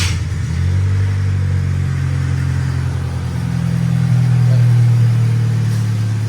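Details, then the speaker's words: Old carbureted car, newly rewired and running off its own fuel system, timing not yet set, some vacuum-leaking hoses found: it fires right up and settles into a deep, steady idle after a brief rise in revs. Normal start and idle. "Fires right up. It's running off its own fuel system, obviously."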